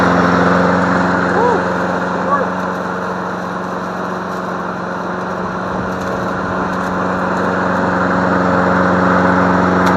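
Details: Free MTD Select Series 21-inch self-propelled mower, suspected sheared flywheel key, running on leftover tank fuel: steady even single-cylinder drone, no misses, surging or knocking; runs smoothly.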